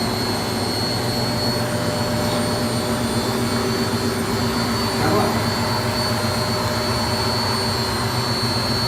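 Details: Beko D5 7101 washing machine, drum spinning: constant loud gritty roar from worn drum bearings; plastic tub cut open to replace bearings and seal.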